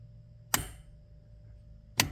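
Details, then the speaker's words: LS-swapped 1985 Pontiac Trans Am, Canton Accusump 2 qt electric valve tested with key on via pre-wired switch; two crisp single clicks about one and a half seconds apart as the valve switches cleanly as it should. "Hear that? Try it again. So, that is working just like it should with the switch now."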